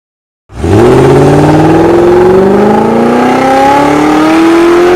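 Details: Ford 1800 Pinto-engined kit car with Weber 32/36 DGAV carburettor on the dyno, after fixing a misfitted fuel return line causing fuel starvation and correcting far-out ignition timing: engine pulls cleanly through a steady rising tone, no misses or knocks; normal revving.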